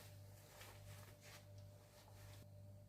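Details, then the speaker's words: Marshall JCM800 2210 100 W head idling, all controls at zero, through a 1x12 cab: steady low hum with faint higher whine. Suspected cause is tired filter caps dated week 48 of 1986, which were then replaced. "Yes. She has got a bit of background noise. That was through through the 412. the the customer got it through. It was quite loud."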